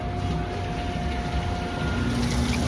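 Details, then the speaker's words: UH300 M4-series (4th-gen) undercounter dishwasher powered off after a cycle: the rinse pump drains via a diverter valve to the floor drain, giving a steady low pump hum with rushing water and some cavitation; normal drain cycle. "And you can see it draining. You can see it and hear it actually. Now it's draining. So again, this is the same rinse pump that fills the machine."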